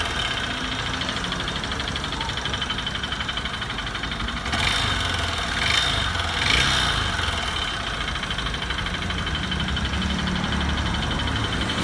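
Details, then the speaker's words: Honda Bros 150 motorcycle, engine already smoking, oil topped up: rough idle with uneven rapping about four per second; internal engine knocking, cause unknown, engine to be disassembled. "Olha o barulho do motor. Todo um pouco óleo, ó. Colocou o óleo, mas tá com isso batido."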